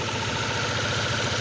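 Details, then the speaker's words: 2006 Ford Focus with hard starting and shaking despite new spark plug cables and new coil pack: rough, lumpy idle with uneven low throb and shaky beat; misfire. "Gusto kong ipaabot sa inyo na kung nakikita nyo dyan, nagsishaking yung makina."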